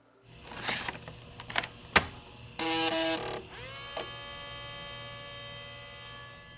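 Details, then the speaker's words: 1993 Compaq LTE Lite 4/25E 486 laptop, floppy drive untested until now: a few clicks, then a steady high whir with no stepping or seek chatter; the drive spins freely, trying to load but never seeking or reading. "Yeah, I haven't actually tested the floppy drive and it doesn't sound promising. Yeah, I don't know about that. It's trying to load but that sounds like it's just spinning freely and not actually seeking around."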